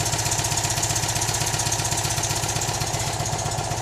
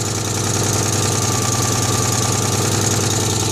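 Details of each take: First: Citroën 2CV air-cooled twin at idle after replacing a faulty ignition coil that caused misfiring, jump started: even steady putter with regular beat, no stumbles or misses; running cleanly. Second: Citroën 2CV air-cooled twin at idle after revival, fan refitted: loose raspy idle with sharp puffing chuff each pulse, about three per second; exhaust leak suspected, traced with a pipe to a blowing exhaust clamp.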